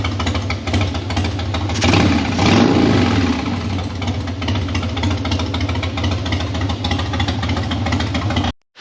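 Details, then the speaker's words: Harley-Davidson Dyna after carburetor clean and seal replacement (one jet found clogged), slightly warmed up, no choke, no throttle: loping but steady V-twin idle under background music, no misses or stalling; normal warm idle. "So, obviously, it's a little warmed up, but this is no choke, no throttle. [Music] Now it's not running too bad."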